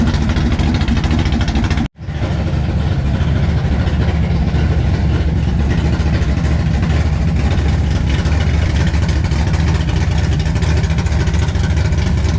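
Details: 1957 Chevy pickup big-block V8 at first fire-up with the new exhaust (Black Widow mufflers, 3-inch mandrel-bent pipe): after a brief crank it settles into a deep, steady, even lope with no misses or knocks, a healthy idle.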